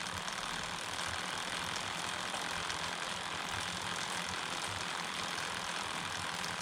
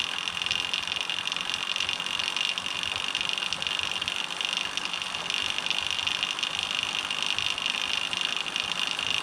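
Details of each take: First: Homemade short-wheelbase bike drivetrain with idler, 11-tooth rear, 39 front, chain keeper off, phone held a hand length away: steady even chain whir, soft hiss, no clicks or slap; normal quiet, about 10 dB quieter than with keeper. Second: Homemade SWB bike drivetrain, chain spun by hand with plastic chain keeper fitted: loud high hissing whir with fast rattle; keeper resonates, about 10 dB louder than without it, amplifying idler noise.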